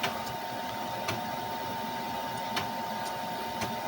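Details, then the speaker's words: Amiga 2000 with ZZ9000 card; hard drive relocated off the accelerator card for heat. Steady fan hum with sharp, uneven drive ticks about once a second; ticking returns with hand pressure on card, suspected dubious CPU slot connectivity. "Hear it ticking again. So we have dubious connectivity on the CPU port, which I've suspected for a while now."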